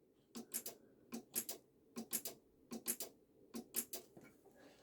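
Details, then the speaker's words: BMW ABS pump with code 5DF0, motor bench-tested on a 12–12.4 V power supply: faint rhythmic clicking in pairs, about once a second, with no spin-up; motor seized, brushes suspected stuck against the commutator. "oh can you hear that swap moves been putting this way no that's dead there's a dead out you can just about here i don't know if the camera's gonna pick it up"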